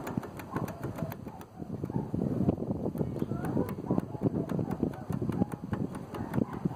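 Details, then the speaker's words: Hyosung Aquila GV 250 V-twin engine running warm: sharp uneven internal knocking appearing once hot; a bearing has loosened and spins in its seat; spun bearing knock. "y este es el ruido que se produce aparece cuando ya el motor se calienta"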